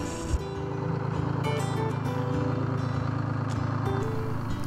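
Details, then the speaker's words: 1968 International Fleetstar 2000 dump truck, 6-71 Detroit two-stroke diesel, first start on ether after sitting 15 years: steady, even idle with constant drone, no knocks or misses; running smooth, normal idle. "this thing sounds really good. For sitting all these years, I can't believe how good this thing is running."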